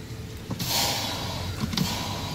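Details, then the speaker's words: Chevy Silverado brake booster: sharp airy hiss rising as the pedal goes down, then tailing off; booster leaking air causing a hard pedal, replacement of booster and master cylinder advised: brake booster vacuum leak. "okay so basically the booster is leaking air causing a hard brake pedal because the mileage right"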